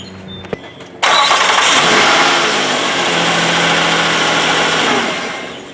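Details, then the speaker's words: 2007 Nissan Quest after fitting the belt, started briefly to check belt centering: quick crank, fires at once, smooth even idle with no belt chirp, then shut off; normal start and idle. "So, I'm just going to start it real quick and shut it right back off."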